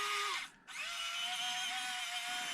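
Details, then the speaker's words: Orlandoo OH32A03 Land Rover Defender 1/32 crawler with Modellbau-Regler.de AS12/6RW ESC: clean whine stepping up in pitch and holding steady, no ESC noise at low speed; motor and controller healthy. "and now check the defender no noise at all no noise at all no noise of the esc and of course you can also go faster if you want"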